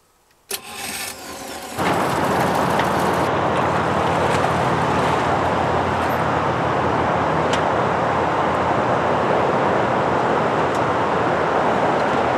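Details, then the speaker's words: Boat engine on sea trial, ignition and electric fuel pump switched on: starter cranks briefly, engine catches near two seconds and settles into a steady, even run with no knocks or misses; underway cruising with 60 psi oil pressure. "we're under way 60 pounds of oil pressure cruising"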